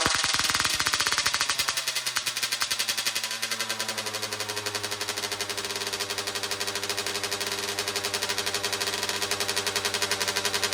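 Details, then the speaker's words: 2009 Kawasaki KX85 two-stroke after new fuel and new jets, started on choke; it had white smoke and throttle issues. Crisp, fast, ringing idle with rapid popping that sits high and never settles. The owner suspects an air leak and plans to go down another jet. "She still kind of seems to be idling a little high. So I think maybe we'll go down another jet and see if that does anything. I think it's possible that we could have an air leak somewhere, which is just forcing a lot of extra air in there."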